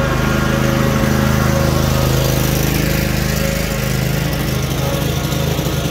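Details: Cub Cadet RZT-50 zero-turn mower engine after crankshaft seal replacement and new aftermarket carburetor (original freeze-damaged): smooth even running with steady throb, no misses, knocks or rattles; normal running.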